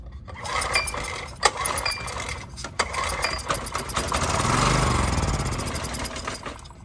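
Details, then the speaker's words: Honda EX1000 generator with old gas, choked and pull-started with carb cleaner sprayed in as starting fluid: brief sputtering burst that nearly catches and dies; fuel starvation. "So you just spray a little bit. Again, this is carb cleaner. You can also use it as starting fluid. So I choked it again."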